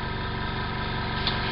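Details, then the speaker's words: Small compressor used for airbrush spraying at home: soft, steady, very quiet hum with no knocks or rattles; running normally. "it's very very quiet that is a compressor I can use at any time of the day or night with no issues whatsoever"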